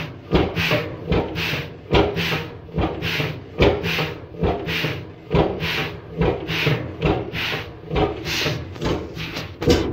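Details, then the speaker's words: 1928 Beijer 13 hp two-stroke hot bulb oil engine, 10.4 L single cylinder, injection pump tuned down to minimum: soft uneven whooshing thumps a bit over one per second with intake air chuffing; piston bouncing on compression and firing without turning, zero rpm. "this can be done if you tune your fuel pump down so much that it's just firing so little that it ain't gonna be able to make a full turn so zero revolutions per minute running an engine"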